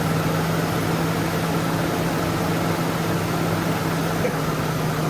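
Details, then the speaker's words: Ford Mercury Grand Marquis after replacing tensioner, idler pulley and serpentine belt, idling with AC on: steady, even hum, no squeak or chirp and tensioner no longer bouncing; normal idle with AC on. "Let's start her up and see if it's still squeaking. Sounding pretty good."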